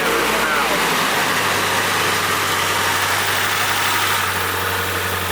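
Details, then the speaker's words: Abandoned Nissan S14 Kouki right after first start-up, cold and not yet warmed: low, steady, even idle hum with no misses, knocks or hunting under background hiss; engine runs very smoothly. "Look at the motor. You could put a wine glass on that. Can you see how smooth that's It's smooth, yeah."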